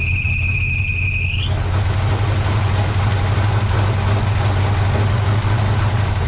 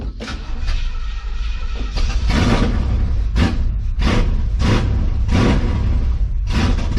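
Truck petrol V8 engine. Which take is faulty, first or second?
second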